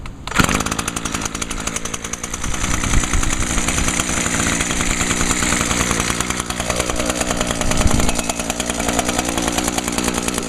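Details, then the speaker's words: Echo PAS 230 two-stroke, which previously ran only on carb spray and then died; after fitting a new carburetor it starts in two pulls and settles into a crisp steady buzz, revving cleanly with better throttle response; normal running. "Oh, yeah. It runs so much better now. Has much better throttle response, too."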